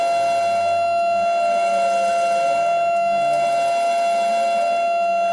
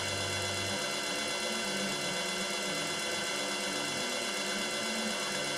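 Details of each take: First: Yaskawa CPCR-MR-152G DC servo drive running a motor not designed for it, reversing back and forth: steady high whine with bright overtones, wavering at each reversal; noise likely from the drive-motor mismatch. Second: Yaskawa DC servo drive CPCR-MR-152G on bench test with 220 V three-phase applied, motor running clockwise and speed set by potentiometer. Smooth, even motor whir with a steady high whine and no knocks or roughness; normal running.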